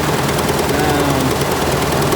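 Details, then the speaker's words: 1998 Ford Ranger extended cab, poor running and no power on hills: rough, lumpy idle with irregular puffs and stumbles, missing on two cylinders though spark at all coils tested good; misfire traced to two dead fuel injectors. "all right i'm gonna give it a try here oh fired up is missing missing on two cylinders we think"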